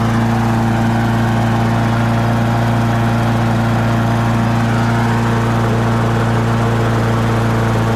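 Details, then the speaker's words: Honda HRR216 mower warmed up after a slow-releasing auto choke: smooth, even drone with a steady low note and no hunting or stumbling. "and maybe the choke is finally stopped the correct running position"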